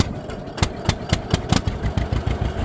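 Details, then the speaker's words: Newly bought two-cylinder tractor opening the throttle from low to high while stationary. Slow, uneven pops stagger and bunch as the throttle opens; the engine stumbles picking up from idle and doesn't like revving up quickly. "man she does not like to go from low to high very fast"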